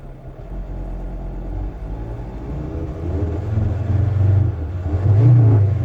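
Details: VW T5 2.5 AXD diesel van, warm after a run; uneven idle, stumbling and surging as revs rise, uneven firing under load, ASR light; internally failing crankshaft sensor, worse when warm, fixed by new genuine part.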